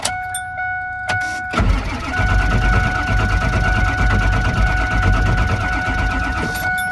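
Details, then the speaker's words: 1999 Ford F250 Super Duty 7.3 Power Stroke diesel, higher mileage and sitting for years, cranked while checking for tach movement to test the crank position sensor: slow, uneven starter grind with a steady whine; never catches, batteries weak. "batteries already feel weak all right so I just tried this a few times still not connecting"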